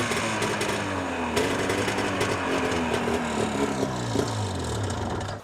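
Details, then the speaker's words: Ski-Doo 377 two-stroke snowmobile on a stand, just refueled: rough buzzy clatter and metallic rubbing over the exhaust note; driven clutch wobbling because a plastic bushing is missing. "so that's not good the clutch is wobbling around big time because of those pieces that are missing in here so in here there's a plastic bushing right here and there isn't one in there but there is one here so that's what's causing that clutch to wiggle around like a wet salmon"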